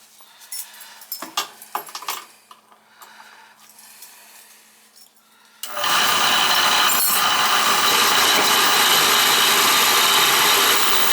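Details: Beckett oil burner that won't reset or fire after owner's reset attempts, previously had a blocked oil line: motor spins up to a steady even whir with no pump note and no firing; pump coupling found stripped.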